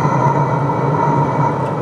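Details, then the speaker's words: Chinese diesel heater in a portable aluminium box, turned down by remote from 26 to 8 °C: steady fan hum with a thin whine near one kilohertz easing off as the fan and burner slow to minimum; normal ramp-down. "there you go you can hear it cooling down now because i've got it set for eight degrees celsius so the fan is slowing down and the burner and everything is slowing down so it'll just go to a minimum state"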